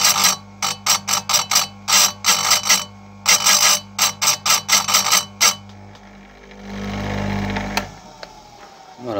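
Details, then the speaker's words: Electric chainsaw chain sharpener lowered with light, slight resistance: quick, even bursts of light scraping, one per tooth, then a steady wheel spin-down; the light scratch is enough to sharpen; normal sharpening with light contact. "il faut sentir une petite résistance quand vous descendez votre votre aphteuse mais légère vraiment légère [Musique] voilà il faut entendre ça on entend ça ça gratte ça suffit et là on y va"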